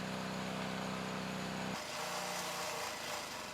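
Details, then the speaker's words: Engine at start of oil additive destruction test, before steel shavings run to failure at about 100 minutes: steady even drone from small single at constant speed, no knocks or rattles; running normally. "And this is how the engine sounded at the start of the test."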